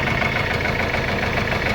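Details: Mercedes-Benz CLS W218 diesel at idle with a hard, dense knock on every firing that follows revs even with light throttle, oil level and condition fine; engine knock traced to loose oil pump bolts.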